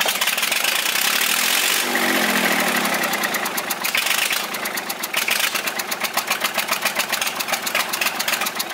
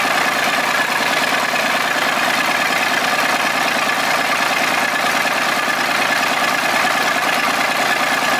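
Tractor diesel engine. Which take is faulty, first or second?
first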